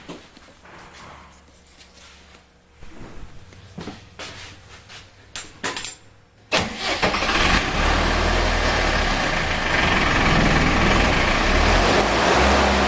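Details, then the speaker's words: Spray foam rig generator-driven air compressor started with the push button after the generator is running and its breaker is switched on, run for a few seconds; a few quiet clicks, then it catches at about six seconds and settles into a steady, even run. Normal start and run. "I will push the start button on the compressor, fire it up. We'll let it run for a few seconds."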